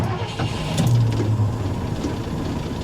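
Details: 1982 Ford F150, not started in quite a while, first start with the key: starter spins briefly, then the engine catches and settles into a steady low rumble; a clean, normal start.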